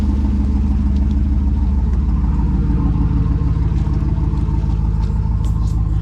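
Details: 2009 Chevy Tahoe V8, rebuilt about 9 months earlier, stage two truck cam, warming up after a cold start once oil pressure and smoke issues were fixed: deep even lumpy idle, no knocks or ticks; oil pressure over 40, healthy.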